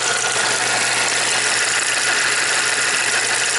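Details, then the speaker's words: 2010 Chevy Equinox with low power and cam position and fuel pressure codes (P0016, P0011), idling with a constant fine, tinny timing chain rattle; suspected bad tensioner, timing off, vacuum only 7 at idle. "so obviously our our timing is messed up you actually you can hear the timing chain rattle I think the tensioner is messed"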